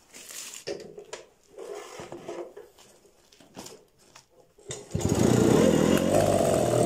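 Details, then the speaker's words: Jawa 50 type 551 Jawetta moped, start attempt after standing two years, petrol sprayed into cylinder: quiet cranking, then a ragged burst as it catches about two seconds and dies; owner suspects carburetor clogged from long storage. "Slyšeli jste to? Ona měla tendenci jako chytit, to bylo hustý. Jo, prostě ucpaný karburátor."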